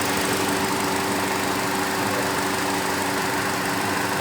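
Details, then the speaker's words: Radiator electric fan bearing noise on a Mercedes C180 Kompressor at idle: loud steady whooshing roar with constant hum from the front, caused by play in the worn fan motor bearing letting the fan wobble; fix is replacing the bearing or fan assembly. "não sempre rolamento que estraga que dá esse problema então tá aí ó dica de Mercedes e a Mercedes com barulho na ventoinha"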